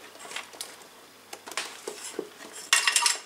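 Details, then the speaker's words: Early-1980s Farnell DTV12-14 12 MHz analog oscilloscope, unpowered, tilted by hand: light metallic clinks and skittering of a loose part inside the case. "Yeah, you heard that. There's something rattling around inside of it. And it sounds like it may be metallic."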